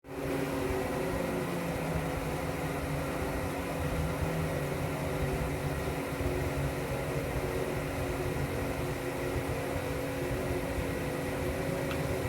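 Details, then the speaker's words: Gas pool heater while running, before its usual clattery shutdown and restart: constant low droning moan with steady hum tones under a hiss; owner believes it is pressurized gas flowing through the pipes. "want you to hear the moaning sound. I believe that's the pressurized gas going through the pipes."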